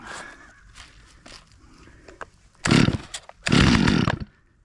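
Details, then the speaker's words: Stihl chainsaw, cold and probably not started in a year, on full choke: two short, loud rasping bursts that die away immediately. False start; it later started on half choke. "Full choke. Give it a couple of pulls. Nothing."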